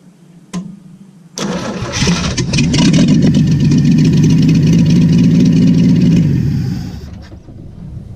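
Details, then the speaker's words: Willys truck after rebuild, coil now hooked up: catches after a short crank and runs uneven and lumpy near three pulses a second; owner thought it was the muffler, then found a wire unplugged when connecting the coil. "I knew it sounded a little rough. I thought it was just a muffler."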